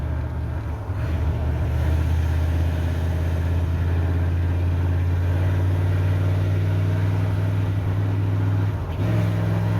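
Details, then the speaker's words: 1988 Ford OBS truck, warmed up, driving after new ignition module, cap and rotor: low drone with uneven stumbling beat under load; ignition misfire still present. "Hoping as it warmed up it would clear up a little bit, but it sounds just as unhappy as it normally does."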